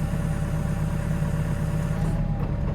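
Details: Heavy plant diesel with a hydraulic fault, one side slow: steady low idle drone, then the note sags and labours as hydraulics take load, loading more when going left; engine responding to hydraulic demand.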